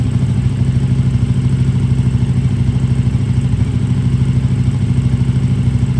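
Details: KTM RC8R with a swapped 2020+ third-gen 1290 Super Duke engine and electronics, restart after the swap: loud, steady low thumping idle with a regular beat, no misses or clatter; normal idle.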